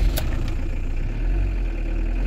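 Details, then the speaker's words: Camper-van diesel started after a service, a fuel filter change and purging, not run for a while, held slightly above idle: it stumbles and surges unevenly, then stalls; some air remains in the fuel system. "Ah, ça broute, ça broute, ça broute. Il y a un peu d'air, il y a un peu d'air."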